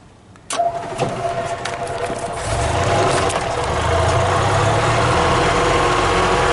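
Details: 1995 EZGO Workhorse golf cart, after a new starter and carburetor rebuild, starting for its first ride after months of no-start while running on old gas: brief cranking, then it catches and settles into a steady, even idle. A healthy start.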